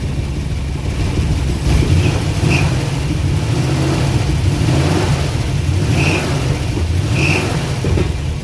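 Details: Abandoned Eleanor Mustang project, 289 V8 sat over a decade, fuel pump just started working: rough, lumpy running with heavy low chuffing like a choo-choo train; suspected blown head gasket with compression escaping, smoking, possibly no oil pressure.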